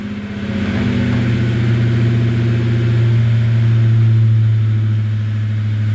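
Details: 1996 Ford Mustang GT convertible, 4.6 2V V8, automatic, with stock H-pipe and swapped Thrush chambered mufflers: smooth, deep burble rising and settling evenly with the revs, no knocks or ticks; engine sounds healthy.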